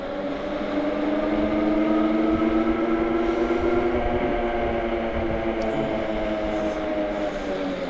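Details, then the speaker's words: AKEZ electric fat bike (Super 73 clone), lower-power 750 W version at 100% throttle: a smooth, steady hub-motor whine with no surging or hopping over light road noise. Normal motor operation. "absolutely no hopping the motor is nice and smooth"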